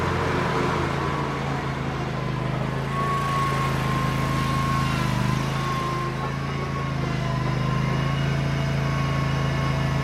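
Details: Bobcat Predator Pro zero-turn with Generac engine, repaired for bogging in tall grass, freshly sharpened balanced blades, cutting grass: steady even pitch, no sag or stumble under load; couldn't make it bog, considered fixed.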